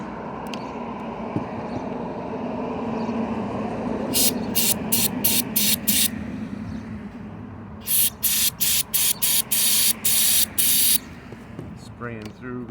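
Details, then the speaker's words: Honda CBR600RR fuel injector, from an engine fitted in a golf cart that sat for years, bench-fired during cleaning: crisp, evenly spaced hissing bursts about three a second with a sharp pulse each, spraying really well; normal injector spray. "but this is actually this one's clicking along well not clicking along but it's spraying really well out of it"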